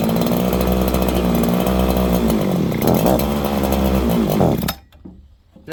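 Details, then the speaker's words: Farmertec 288 kit chainsaw, warm, on restart with choke and fast idle: it fires, then hunts and surges unevenly and won't take throttle before dying. The owner suspects a massive air leak. "Then it wouldn't idle. Then it was all of a sudden pig rich. It's like this thing has a leak. And let's see if it even restarts. See, it fired there. I'll put the fast idle on. Put the choke on. Won't even take throttle."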